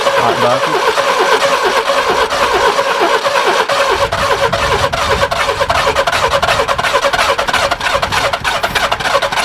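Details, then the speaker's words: Barn-find Subaru Brumby ute, previously seized and full of water, cranking at about one-third throttle; fast rough cranking with irregular puffs pushing back, never catches, listened under the side; exhaust blocked, to unbolt at the cat; crank no start. "oh just listen listen under this side when i try and start it that's why it's trying to push back can you hear it and actually afterwards so there the exhaust is blocked i need to get it out and unbolt it at the cat"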